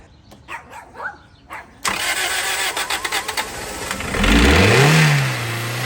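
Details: 2003 Toyota Celica GT with a 1ZZ engine, after sitting and priming the fuel pump: the starter cranks in quick pulses, then the engine catches, flares up and drops to a steady idle with no knocking. It blows some smoke, blamed on rodent debris.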